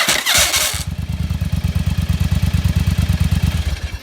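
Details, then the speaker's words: 1st-gen Yamaha Virago with an experimental solenoid lever holding the Bendix gear engaged and no starter motor clutch: harsh metallic grind and uneven cranking as the gear can't back off the flywheel ring gear fast enough. "but the problem is it can't get back fast enough to get that gear off of the flywheel gear because it's trying to turn faster than the starter motor and so it just grinds against the gear"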